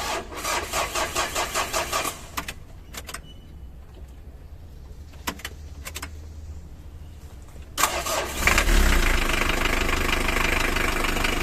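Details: Engine starting after reassembly with bolts torqued to spec. Steady cranking at about 3.5 beats per second, a pause, then it fires and settles into a smooth, even idle; normal start.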